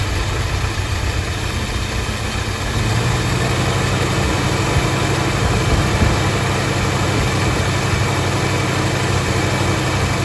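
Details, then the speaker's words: V8 first started, fed from a fuel jug, still cold: a low, even idle with a steady rumble and no misses, knocks or ticks, running smooth. The alternator is charging and oil pressure is decent. "people would see this thing and say there's no way in hell that thing runs runs pretty smooth alternator is charging well"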